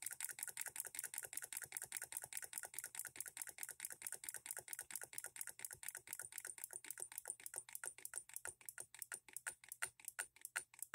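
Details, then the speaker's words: Hand-built Coilmotorworks solenoid hit-and-miss model engine, voltage dropped below half rated: crisp light steady ticks about five or six a second, firing every stroke because the governor lockout no longer engages. "we start dropping it down below this it hits every stroke because we don't have our lockout going let's see how slow we can make it run"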